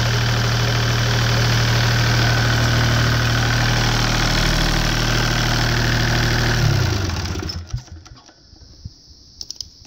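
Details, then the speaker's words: Deutz 2009L03 three-cylinder direct-injected non-turbo diesel, about 36–37 hp, after a cold start: steady, even clatter at constant speed, then shut off and running down. A normal-running small diesel. "it seems to run pretty good"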